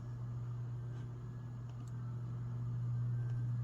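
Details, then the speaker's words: Vintage brown/brass bottom-mount spinner 42" ceiling fan at low speed: low, steady electrical hum with a faint buzz; a little buzzy but no different than normal. "It's not really any different than normal. A little buzzy, but. I mean, if we're not holding the hum against it."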